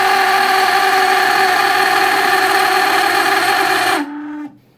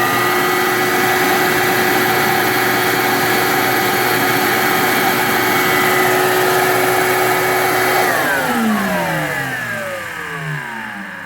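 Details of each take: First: Shop vac screaming at a harsh, high, steady pitch with a little smoke, then spinning down quickly when switched off; the worn top brass motor bushing is the cause, fixed by swapping in a 608 sealed bearing. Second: Shop vac after replacing its worn brass top bushing with a 608 sealed bearing: steady, even whine, then a long, smooth spin-down after switch-off; noise gone, motor turning freely.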